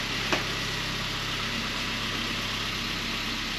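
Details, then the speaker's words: SAAB 9-3 first start after cooling system overhaul, low oil pressure concern, no oil pressure light, quieter than before; steady idle with bright metallic pinging tick, cause unknown, owner fears motor may be gone. "Than it was last time? Definitely still got that pinging sound, so I guess time will tell if"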